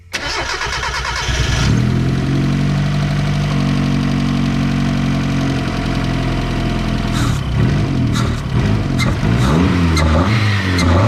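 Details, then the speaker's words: Turbo Miata on its first start after fitting a 3-inch exhaust: it catches and holds a fast idle, then revs rise and fall unevenly with a lumpy beat. It is untuned, base timing is unchecked, injectors and wideband are still needed, and the water pump outlet O-ring leaks. "she runs. She doesn't run the greatest. Needs a lot of tuning,"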